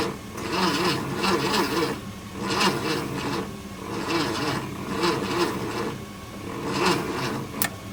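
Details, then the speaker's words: 1966 Ford F100 V8, first start attempt in 17 years, starter fluid sprayed, jumped from another pickup with poor cables: slow, labouring cranking in bursts with no catch; cranks but won't start, no spark seen at the points. "And this thing is not going to crank out. That's a little warm. These cables are not the best in the world. I don't even know if it's firing or not."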